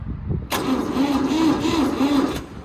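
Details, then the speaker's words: Old industrial tractor on an auction lot, cranked with choke after weak cranking: turns over about two seconds with no firing, then stops; cranks without starting. "Let's see. Choke. No, it's not gonna start."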